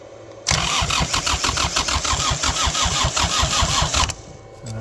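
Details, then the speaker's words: Kubota 3450 tractor diesel, abandoned for years, catches with hard uneven thumping about three per second after fuel work, then settles and runs; run briefly since it has no coolant; normal start and idle. "we'll try one more time it starts up and runs we'll leave it like [Music] that good"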